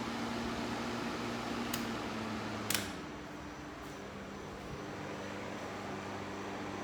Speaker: definitely nice and quiet in comparison to this one over here which still flows very well it's twice as loud